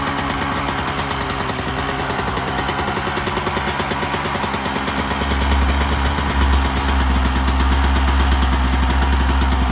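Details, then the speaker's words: 1996 Yamaha YZ250 two-stroke just after carb tune-up, still cold, just starting to warm: crisp even ring-a-ding idle with steady low popping beat, no hunting or stalling; normal idle, much better than before. "lot better just on idle. Okay, it just started to get warm. You can start to feel it get a little bit hot."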